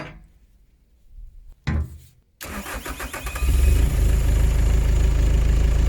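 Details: Bobcat S130 skid steer diesel after replacing an extremely dirty air filter containing concrete and rust: short crank, then it catches, rises and settles into a steady, deep idle with no misfire or stumble; starts and runs properly.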